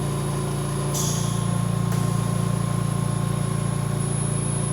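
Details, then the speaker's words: VMUS-DG1 double-quartz corona-cell ozone generator fed oxygen by a MAX-5 concentrator, output raised to 30%: a steady low hum with a thin high whine whose pitch rises as output increases. This is normal corona buzz. "As we increase the ozone production, right now at 30%, you'll notice that the pitch keeps getting higher and higher from the ozone generator."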